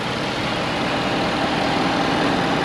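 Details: 2013 Ford F350 Super Duty XLT diesel 4x4, regular cab, single axle, hood open: even steady diesel idle clatter with no knocks, misses or hunting; healthy.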